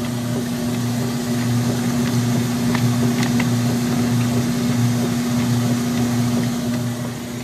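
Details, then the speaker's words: Free used Kenmore 80 Series washer tested outdoors on extra slow agitation: quiet even motor hum with steady low drone and outdoor noise behind; smooth, normal. "that's quiet granted yes it's on extra slow but that's quiet you just hear the hum of the motor"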